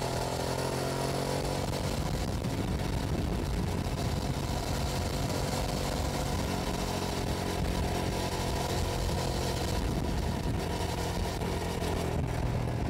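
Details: 2006 Hyosung GT650S V-twin on a test ride at about the 100 km/h limit after a carburettor clean, camera mounted on the bike. Steady, even cruising under wind noise, both cylinders firing. Healthy running.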